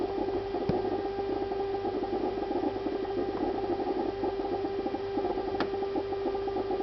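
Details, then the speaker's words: Refrigerator emitting a constant, mid-pitched, siren-like wail with faint clicks, lasting about two minutes; owner considers it abnormal, cause unknown; the ventilation fan starts up afterward. "Après ils vont me dire que c'est le bruit normal d'un frigo ça."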